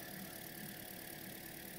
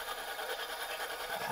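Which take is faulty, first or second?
second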